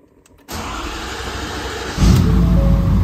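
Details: 2022 Ford 6.7 Powerstroke, first start after installing an S&S DCR high-pressure fuel pump in place of the CP4, with no fuel leaks found. A quick crank catches at once into a steady diesel clatter, then revs rise cleanly with no misfire; healthy cold start.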